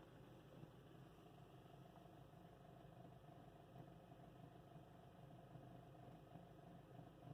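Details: 2008 Honda Civic Si, 114k miles, warm idle: faint, fairly even rattle about three beats a second over quiet idle; owner suspects timing chain noise, not confirmed.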